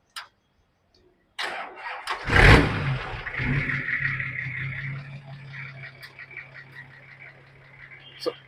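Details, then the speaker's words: 1992 Nissan Patrol Y60 (GQ), 4.2 L inline-six diesel with upgraded injection pump, open downpipe with no muffler: brief crank, firm catch, then low even idle with a steady drone; healthy start and idle. "I know it sounds like a big transport vehicle, but much smoother."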